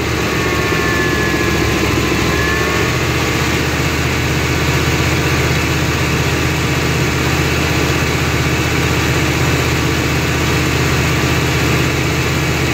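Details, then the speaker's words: 1993 GMC C1500 5.7 V8 with O2 sensor unplugged (open loop) after surging, rough idle and cutting out; deep, steady idle with even rhythm, no rise and fall; surge gone, idling better. "okay we got the too unplugged and as you can see it's already idling better and we're not getting that surge"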